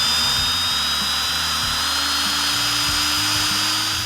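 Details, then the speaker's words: 1971 Plymouth Cuda engine being primed with a drill: the drill spins at a steady high whine and never bogs as oil pressure rises on the gauge; misoriented rocker shaft oil holes are suspected. "now you see that oil pressure gauge going up that's beautiful you don't hear the engine bogging down the little drill motor that's not so beautiful"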